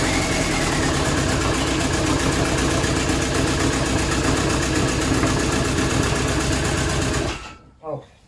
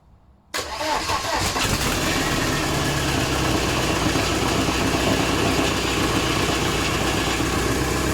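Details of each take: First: VW AHU TDI diesel run on garage floor before fitting into T25/T3 camper, one injector line open: loud clatter with lumpy, uneven beat and heavy shake, one cylinder not firing so it runs on three. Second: VW AHU TDI diesel on garage floor before fitting into T25/T3 camper, started cold: catches after half a second and settles into a steady, even idle clatter with no stumbling or excessive smoke; runs healthy.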